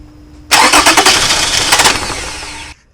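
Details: 2006 Toyota Camry 3.5 2GR-FE, cranking no-start with spark confirmed and some fuel: about two seconds of even rapid starter cranking that never catches; cause found as weak fuel pump giving low fuel pressure.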